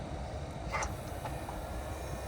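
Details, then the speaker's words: 2004 Toyota Highlander, passenger-side air mix (blend door) servo under the dash, engine idling: a brief soft whir and click as the temperature is switched between cold and hot, the servo moving its arm normally. "So you can see as I change the temperature, the servo motor changes the arm, so it knows what temperature you want or air mixture you want."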